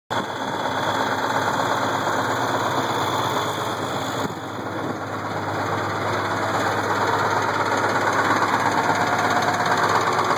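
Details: Case IH 1680 combine with 8.3L Cummins diesel at steady idle, hard knock about three times a second that began slow then worsened; timing cover removal found cracked cam gear with missing teeth.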